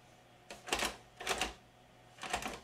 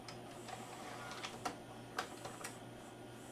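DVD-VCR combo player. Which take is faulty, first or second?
first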